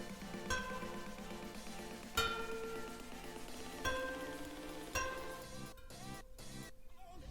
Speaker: pitch that high pitch tells you that they're tight and they'll feel dead and duller not as bright a tone when they're not tight enough